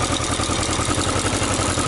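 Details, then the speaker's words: Yamaha XJ900S Diversion motorcycle after straightening a dented exhaust header flange that wasn't sealing: even quick exhaust pulses at steady idle, no misses, ticks or blowing, running healthy. "so as you just see it sounds pretty awesome"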